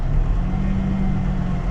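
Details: 1994 Ford F-150 4.9 L inline six, no check engine light, no vacuum leak found: low uneven rumble that wavers and stumbles as revs fall back to idle after throttle; lean stumble on return to idle.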